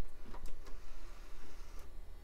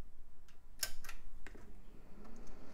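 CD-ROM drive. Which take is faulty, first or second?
first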